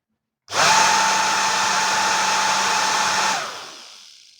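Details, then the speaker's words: Worn original motor of a professional hair dryer used several years, run with a 0.22 µF capacitor fitted: it spins up to a steady high whine for about three seconds, then coasts down; the motor is worn and should not be used. "także widzicie że lepiej tego silnika już nie używać chyba że właśnie do takich doświadczeń"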